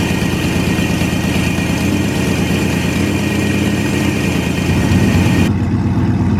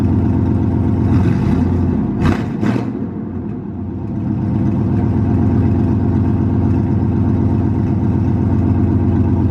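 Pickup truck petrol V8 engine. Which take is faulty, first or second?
second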